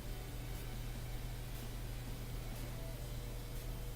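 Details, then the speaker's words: Bosch washing machine, dual cold water pre-wash inlet valve: steady low electrical hum with no rush of water, so the valve is energized but no water enters the dispenser; owner suspects the water inlet valve needs replacing. "Yeah, it's supposed to be water coming in right here, but there's none. So I think that's the water valve I got to replace."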